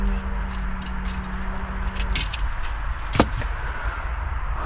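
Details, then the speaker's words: VW Caddy with swapped-in 2.0 CR140 diesel and DSG, first start after swap, foot on brake, secondary fuel pump tapped in: starter hum cuts out, then low even diesel rumble with a few bangs. Engine started, normal diesel running. "I'm going to press my foot on the brake and we're going to go for it. That started. Woo! [Music] Wow! She runs."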